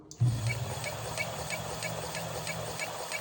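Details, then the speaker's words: Electric hub-motor wheel, earlier squeaked when pushed, now knocks, louder at higher second speed setting: sharp light ticks about three per second as the wheel turns; owner suspects a slightly warped brake disc; rhythmic knocking. "Сейчас появился вот такой стук. Вот. Если брать большую скорость, вторую, то стук еще больше становится."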